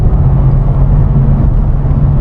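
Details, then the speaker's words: S197 Mustang GT in 6th gear at 70 to 80 mph after the rattling underbody clips were dealt with: only steady low road and engine rumble plus some wind, with no rattles or metal-on-metal buzz. "70 miles an hour. I don't hear anything. Guys, I think I'm at 80. I don't hear any rattling at all."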